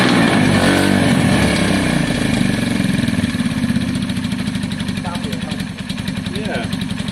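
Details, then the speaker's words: KSR motorcycle single-cylinder running warm with valve caps just refitted: loud raspy fast even beat with tinny metallic rattle, partly masked by leaking open exhaust; engine still smoky, oil looks thin, judged unhealthy. "That engine has a rattle in it, and it's still smoky, blah blah blah. It's got a lot wrong with it."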